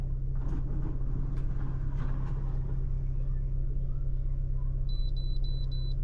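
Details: 2017 Ford Escape idling after replacing the canister purge valve (it had died and run rough after fueling): steady, smooth, even low idle hum with no stumble or hunting and a brief chime. No check engine light; healthy.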